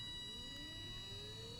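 Faint whine climbs smoothly in pitch as the motor speeds up, with a steady high hum behind it; normal drive whine.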